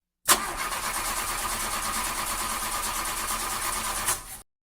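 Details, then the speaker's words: 2001 Honda CR-V with hard starting: harsh, raspy grinding throughout cranking from a misaligned starter not meshing cleanly. "So when you crank it, see that? So hard starting, it seems like the starter is going."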